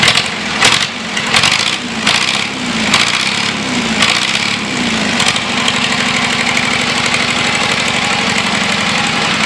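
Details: John Deere 2640 diesel tractor being revived, on a new battery: it cranks with a few catches, then fires and settles into a loud, steady open-pipe clatter. Normal start and run.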